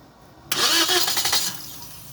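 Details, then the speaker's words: Toyota Vios unstarted for 3 months with lost compression: after oil was added into the cylinders it cranks and catches, settling to a soft idle within a second; exhaust smoke from the oil expected to clear. "start Ayan na lalagyan lang ng langis umandar na"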